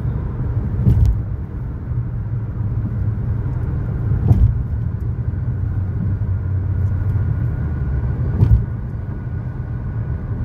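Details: 2013 Chevy Sonic, 75,000 miles, road test after replacing both front wheel bearings and lower ball joints: low steady road rumble and a few bumps, no hum or growl; bearings quiet and healthy.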